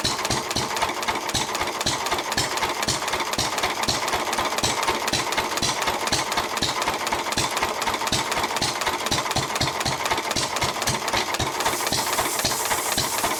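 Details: 1923 3.5 hp Emu (rebadged Hercules) single, first start in 20+ years, after oiling the sticking magneto and exhaust-valve mechanism: steady thumping around four beats a second with a sharp mechanical clatter; it runs evenly and well.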